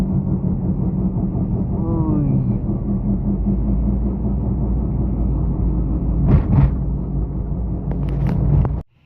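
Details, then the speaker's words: Proton Saga BLM front tyre: steady low drone under road noise while driven slowly, louder at speed; bearing grease dried and hard, rough worn front wheel bearing humming as it rolls; fix is removing brake caliper and replacing the bearing. "Okey sekarang kita dah jumpa masalah dia ni. Nampak dia bunyi kasar. Okey. Dia punya kasar tu yang berdengung tu dia punca daripada bearing"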